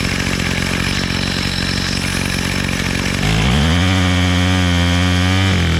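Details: Bolens MTD BL-160 25cc two-stroke weed trimmer, after carburetor cleaning and low mixture screw reset (bottomed, then turned out), choke off: steady buzzy idle, then clean quick rise to smooth, even high-rev scream at full throttle; idles and runs properly.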